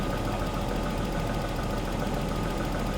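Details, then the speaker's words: Daimler XJ40 that broke down on the highway, now restarted: a steady, even idle rumble with no misses while engine-bay cables are wiggled by hand. Nothing changes, so no fault is found. "but fire it straight up it's um yeah it's idling fine nothing really that weird"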